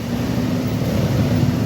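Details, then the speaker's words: Old-model Yamaha NMAX scooter showing error code 37 (abnormal idle), rear wheel not turning: engine holds a fast, steady drone with no throttle; idle far too high because the idle speed control (ISC) connector is loose. "Kalau di diagnosa pakai scanner manual biasanya ini langsamnya gede. Kodenya 37. Artinya stasioner atau langsam itu tidak normal, bisa terlalu gede, bisa terlalu rendah."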